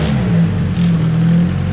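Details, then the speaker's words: S15 engine running after replacing a suspected failing lifter: steady low rumble with a smooth, even note and no top-end ticking; head noise gone. "but yeah the head's not making any more noise man i'm stoked we fixed it all because of a lifter potential lifter that was going bad"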